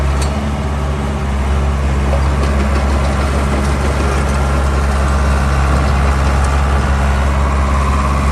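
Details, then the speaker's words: 1987 Caterpillar D3B dozer, Caterpillar 3204 65 HP diesel, powershift transmission, hours unknown: starts right up with a deep, steady rumble, even beat, no knocks or misses; normal diesel running. "Just starts right up. Seems to be a pretty good running little dozer."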